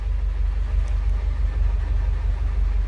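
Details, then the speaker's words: 2010 Subaru Impreza engine after adjusting the loud lifters: idle is quiet, steady and smooth with a soft even pulse and no valvetrain ticking, now normal. "nice and quiet that's how it's supposed to sound"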